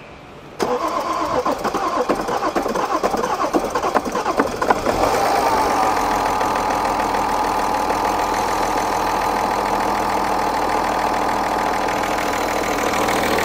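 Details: BMW M550d F10 diesel, second start attempt with a booster after coolant-leak repair (water flange, intake gaskets): about four seconds of rapid uneven cranking, then catches and settles into a smooth, steady idle; normal start.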